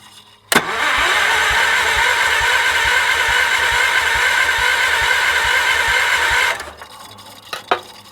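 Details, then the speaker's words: 1978 Wheel Horse C-121 garden tractor: even cranking at about four compressions per second for six seconds without firing while checking for spark; none seen. Cranks but no start. "All right, let's have a little looky-poo and looky-poo at our, see if we're producing any spark here. I don't see anything."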